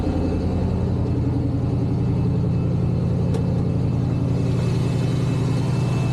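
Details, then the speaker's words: 1988 Pontiac Firebird V8 (shorty headers, Edelbrock 1406 carb, Performer intake) first started cold after a long time parked, now starting to chug along. Even, lumpy low chug of about two beats a second that settles as it warms; normal idle. "No, it wasn't already warmed up. It's It's cold. It just It's set up very well."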